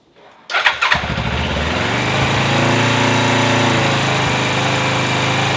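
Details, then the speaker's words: Suzuki GS500 motorcycle after repair of loose generator/magnet rotor (starter gear) on crankshaft; in neutral. Starter whirs briefly, engine catches cleanly and settles into a smooth, even idle; normal start. "Choke well I would call that a success she starts"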